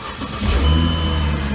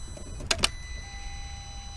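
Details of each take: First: 2008 Mercedes CLK350 M272 with long-crank complaint from fuel rail pressure bleed-down, now holding about 55 on rail gauge after waiting minutes: short crank, fires almost immediately and runs smooth and even; normal quick start. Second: 2008 Mercedes CLK350 with M272 engine, fuel rail pressure reading zero with no priming: a few quiet clicks, then a long starter drone cranking for seconds without catching; long crank from fuel pressure bleeding down, suspected failed in-tank regulator or check valve.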